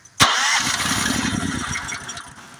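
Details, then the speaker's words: Honda GX390 engine turned with the key: starter cranks steadily for a couple of seconds but never fires. Spark tester showed no spark; usual culprit is the low-oil sensor wire on the block side. Crank no start, no spark. "I'm turning the key it's cranking it's cranking I checked the spark and there's no spark"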